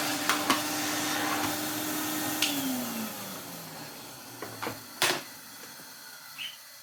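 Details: 1993 Henry HVR200 vacuum after a full strip, service and restoration: a steady high motor whine with even rushing air, then a smooth spin-down after switch-off. The motor sounds healthy, with strong airflow and suction.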